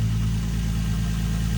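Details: Nissan 350Z drift car after a ground bolt on the timing cover was fixed. The engine settles into a smooth, even idle with no misses or knocks.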